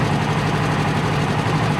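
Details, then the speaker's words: Friend's Polaris RZR 1000 with its own ECU reinstalled: steady, even low normal idle with a smooth putter and no warning lights. "I got his back in no lights and it runs perfect does"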